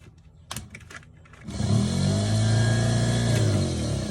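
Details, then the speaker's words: Triumph TR7 spare starter motor bench-tested with power applied: motor spins up to a steady low free-running whine with no engagement clunk; pinion not throwing out, owner suspects faulty solenoid not working its lever. "okay what's not happening is this bit here isn't coming out as it should it's not spinning out and that's what the solenoid I think needs to do"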